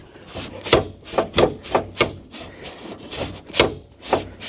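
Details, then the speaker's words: Conversion van window being refitted after new channel install: repeated dry scraping strokes, two or three a second, as the glass bottoms out and rubs on the regulator; still feels too tight. "It's hitting the regulator. It's hitting the regulator is what it's hitting."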